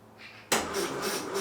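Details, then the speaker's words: 1968 Land Rover Series 2A 2.25 L petrol, first start attempt after about 30 years, rebuilt carburettor and fuel pump, new plugs: starter churns in slow even lumps, never fires; battery suspected, crank no start. "No, not starting today. But it's not on fire, so uh that's good."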